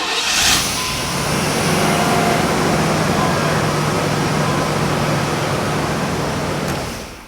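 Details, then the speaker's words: 1993 Chevy Caprice V8 after a full tune-up (new EGR valve, probably a new fuel filter, air filter fitted): catches instantly and settles into a steady, even rumble with no misses or ticks. "dude it fired up instantly like it was instantaneous"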